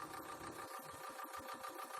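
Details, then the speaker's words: Aquarium canister filter after gluing its broken impeller-shaft magnet, now spinning but at a bad angle: fast uneven chattering buzz over a thin steady hum; owner suspects it runs in air, and the noise disappears once air is purged underwater. "所以可能会有一些声音。这个声音的话，我们待会要来看一下，再如何把这个异音改掉。"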